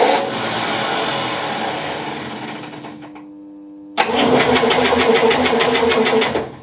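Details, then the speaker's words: 1958 GMC Apache pickup, left outside 3+ years, compression test on cylinder 5: even cranking about three beats per second, no stumbles, reading over 145 psi, healthy. "There we go, we sneak that one up to over 145."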